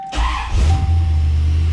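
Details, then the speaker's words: C4 Corvette after alternator replacement (old one caused electrical smell, supercharger-like whine and tach bouncing 1000–3000 rpm): engine catches quickly into deep steady rumble, no whine; normal start with proper voltage. "lit right up voltage and the noise is gone doesn't sound like a supercharger under the engine anymore"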